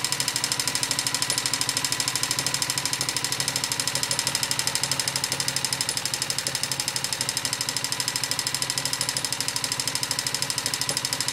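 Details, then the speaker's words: Honda XLV 750 motorcycle at idle: sharp, even ticking about two and a half beats per second from the front cylinder; mechanical engine knocking, cause unknown. "Bon, comme promis, voici une petite vidéo sur le bruit de mon moteur."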